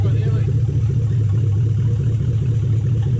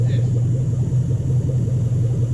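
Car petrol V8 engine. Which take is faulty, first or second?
first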